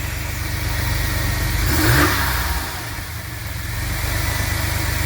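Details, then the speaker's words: 2000 GMC Safari V6 van, 138,000 km, 23 years old, cold engine after throttle position sensor replacement, free rev: smooth idle, quick clean rev climbing and falling evenly; sounds like secondaries opened, which it didn't do before; slight hesitation noted. "That's a good sounding motor for a 23-year-old van. That sounds like some secondaries opened up almost."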